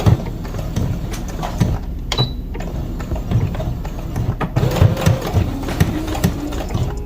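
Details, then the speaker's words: New CS6000i sewing machine on second speed, where the thread usually breaks, with light pedal pressure. Irregular hard knocks sound over the needle chatter, cause unknown, and the owner plans to return it: a knocking noise while sewing. "And I'm not pushing down really hard on the pedal either. But you can hear it. Something's knocking. And I don't know if that's normal or not."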